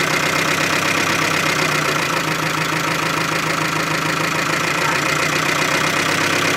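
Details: Chevy Aveo, about 100,000 km, oil drained, restarted idling after stalling: rough, uneven idle with dull knock about 160 per minute under a harsh rattle; bearing knock from oil starvation, stalling again soon after.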